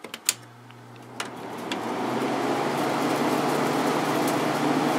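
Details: Fedders 7500 BTU window air conditioner, clean inside, with the thermostat on 8 and the fan on low, drawing about 124 W. A soft, even whoosh of air settles into a steady low hum after a few clicks. The fan runs smoothly on low.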